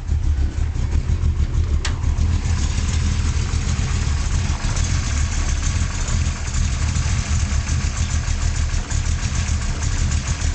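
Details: 1972 Chevy Nova small-block V8 with a solid lifter cam, Flowmaster exhaust and Powerglide transmission: a deep, lumpy idle with uneven, loping exhaust pulses; rough idle, cause not confirmed.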